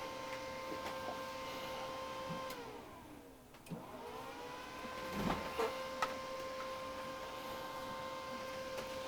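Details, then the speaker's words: DSO 8104A oscilloscope (runs Windows XP), reassembled with a donor power supply and covers back on: quiet whine with faint irregular clicks about twice a second. Owner suspects something unsecured in the power supply's primary/secondary connections. "Drives in. You can still hear the little clicking. I'm going to have to take it apart again and look at the uh look at the power supply cuz there's clearly something that I haven't secured"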